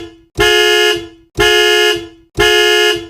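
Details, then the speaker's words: Chevrolet bus anti-theft alarm set off by an opened door, sounding through the horn with lights flashing until the reset is pressed: horn blasts about once a second in a steady, even rhythm. "The alarm is going off. It's starting to get you home. Oh, there we go. My alarm's going off."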